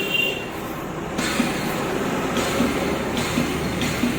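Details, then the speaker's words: Bajaj Dominar 400, in neutral, key on, pressing starter: short harsh rattling knock bursts from the magneto area, sometimes spinning free without catching; faulty starter one-way clutch bearing, to be replaced. "तो guys finally यह तो clear है कि इसकी जो one way की bearing है उसमें प्रॉब्लम है तो हम उसी को बदलने वाले हैं"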